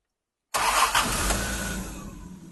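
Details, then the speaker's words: Jaguar E-type 4.2 Series 2 with three HD8 SU carbs, after a health check and tune (before, it ran stuttery and spluttery): it catches at once and settles into a soft, even purr with no stumble or misfire, running clean and healthy. "Wow, how different is that? Well, she's purring away as a Jaguar should. Beautiful."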